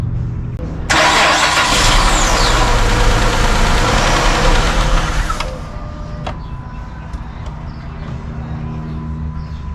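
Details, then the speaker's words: Chrysler 300 after PCM replacement for a misfire (injector circuit stuck on): cranks, fires and runs better for about four seconds, then shuts off by itself; security light blinking. Engine starts then stalls, cause not confirmed. "Well, you know what's crazy is it is running better when it is running, but then it shuts off automatically. It's not gonna stay running."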